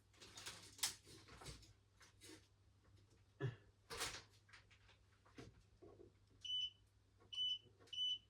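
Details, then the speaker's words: New Logik LCD8W23 condenser tumble dryer, plugged in for a first test after unboxing: handling thumps, then three short high beeps about a second apart, the normal power-on signal. "It beeps the same way as my old one did."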